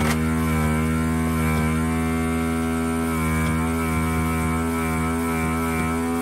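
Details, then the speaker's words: Desoldering gun vacuum pump after reassembly in repair: steady even pump drone of constant low pitch with no rush of airflow, not much suction, path possibly blocked; weak suction. "well we have suction which doesn't sound like it's a lot of suction but it's possible this could be blocked yep"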